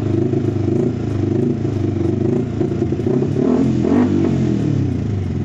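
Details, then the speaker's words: Fuel-injected motorcycle with a clogged fuel injector: lumpy idle, and on throttle the revs rise hesitantly and sag, stalling after high-rpm use. It is also hard to start. Engine stumbling on throttle. "kalau udah dipakai di RPM tingginya jadi seperti ini ngadat dan kalau di gas mati dia"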